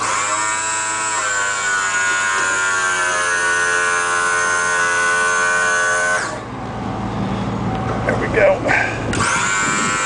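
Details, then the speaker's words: 1995 E350 handicap van (called Ford and Dodge), 5.8 L gas, 108,000 miles: wheelchair lift motor steady whine at near-constant pitch about six seconds, stops cleanly; lift sometimes chugs but works, lifts 260 lb. "the myth does work sometimes it chugs along but it works fine"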